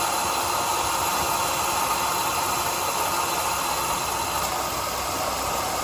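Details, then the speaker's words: Ford Escape idling with AC on: steady coarse hiss-like grinding with light rattle, described as sounding like hell though AC blows ice cold; AC compressor clutch suspected, not confirmed. "Man, that thing sounds like hell. Oh yeah, it's got ice cold air."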